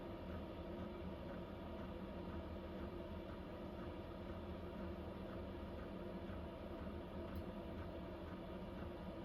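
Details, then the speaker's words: Vevor diesel heater in an uninsulated camper at about -4°C, on the low setting drawing about 0.9–1 A: low fan rumble with faint, regular ticks from the dosing pump, about twice a wall clock's volume; normal pump ticking. "It's not a loud ticking, but it is, if I were to call it anything, like twice the volume of like a wall clock. Kind of annoying."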